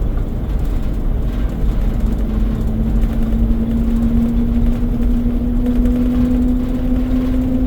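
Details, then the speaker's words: 2004 Four Winds Class C motorhome just bought, driving at low speed before reaching 45 mph: a low whine over road rumble climbs with speed, sounding like highway or mud tires. Source not identified. "It almost sounds like highway tires on the highway or maybe uh mudding tires on the highway right now."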